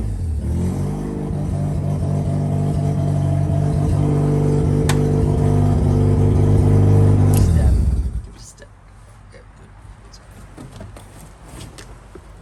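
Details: JDM Haruguchi FC Mazda RX-7 rotary, revived with new battery, 98 petrol and fresh fluids: fires up, smooth even buzzy revs rising and falling cleanly, then shuts off; healthy.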